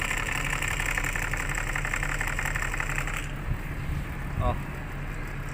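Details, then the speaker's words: Rear aircon blower unit on a Starex/Mitsubishi L300-type van, engine idling; after a few minutes running a rough buzzing whir rises over the engine then drops away, gets noisier the longer it runs; noisy blower motor needing cleaning. "Ayan na nagparamdam na siya Oh narinig niyo sobrang ingay"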